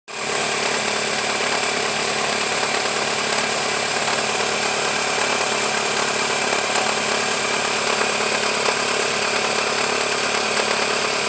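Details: 1999 Toyota Camry LE petrol engine on a cold start: busy tinny rattle over a hissy high-pitched running noise from around the timing belt area, subsiding once warmed up.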